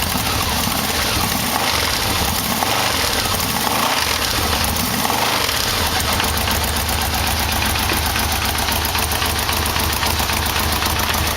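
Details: Yamaha VMX1200 V-Max V4 idling after an oil and filter change: faint light knock through the exhaust note; owner suspects the timing chain adjuster, cause unconfirmed.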